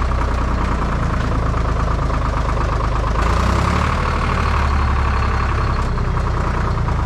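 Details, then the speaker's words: IHC 844 tractor diesel at idle with a replacement muffler: steady low idle with an even, slightly hollow exhaust note that sounds wrong or odd. "ganz bisschen hört man manchmal was aber das klingt falsch oder komisch das klingt komisch genau das klingt einfach komisch"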